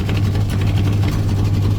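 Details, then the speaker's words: 1965 Chevrolet C10 283 small block after swapping points for HEI ignition, no choke, neutral: slightly slow start then deep, even low burble with no misses; smooth steady idle, much improved. "Was a little slow on the start up. That hi has made a difference. I mean a difference. It's so good now. So good."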